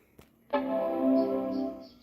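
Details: Macintosh Performa 550 with replacement Macintosh TV logic board, on power-on: clean full chord rings out and fades evenly; normal startup chime, though CRT has suspected loose connections and it won't boot.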